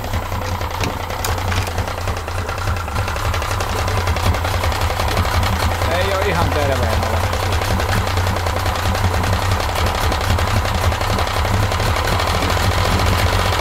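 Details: 1995 Yamaha 50hp (62F-80) two-stroke carbureted 3-cylinder autolube outboard: uneven idle with a light, irregular mechanical knock over a low drone. Bottom cylinder feels coldest, plugs fairly new; cause not pinned down.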